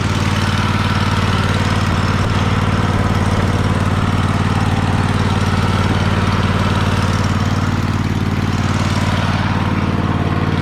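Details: Free Troy-Bilt riding mower, started with help while the carb shut-off solenoid clicks, needing a solenoid: steady, even twin-cylinder beat with a smooth low hum, no knocks or misses, healthy. It drives in reverse, though the belt smells of burning rubber and is possibly the wrong belt.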